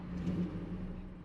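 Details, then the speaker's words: 2006 Chevy Silverado that stays running with the key off: after key-off the low rumble continues and only slowly winds down instead of cutting out cleanly. "nah it shuts off it should shut off more better than that though"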